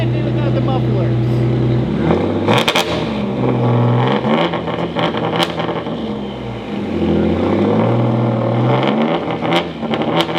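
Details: EG33-swapped Subaru WRX STI on dyno: hard revving under load keeps stumbling with sudden cuts and sharp pops; suspected TDC offsets or mechanical timing; engine breaking up under load.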